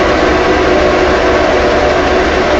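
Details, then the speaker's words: 1945 Delta band saw after new blade guide blocks and bearings, run to check tracking before full speed: steady even hum and whir, no knocks, rubs or rattles; blade tracking fine, normal running. "What I do is I just go, and that seems to be tracking. Sounds good."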